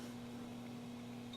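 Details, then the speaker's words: Markel Fan-Glo Heetaire space heater, non-thermostatic, fan-forced heat switched on with coils heating: steady low electrical hum without the fan spinning up; fan motor tries but fails to start, owner guesses it needs oiling. "So the fan motor is trying to run, like I said, which is probably a good thing, but again, it probably just needs to be oiled."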